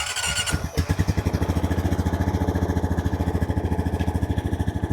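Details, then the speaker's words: 2013 Honda Rancher 420 ATV after replacing bad starter solenoid that caused no-start: short crank then steady, even single-cylinder putter around thirteen beats a second; starts and idles healthy. "voila starter solenoid was bad"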